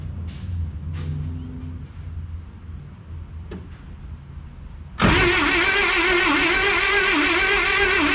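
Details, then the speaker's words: 1957 International A100 right-hand-drive barn-find pickup, spark plugs pulled, battery hooked up: after a few clicks the starter spins the engine at an even, rapid rhythm with no binding. It turns over freely but does not fire. "all right she's turning over good"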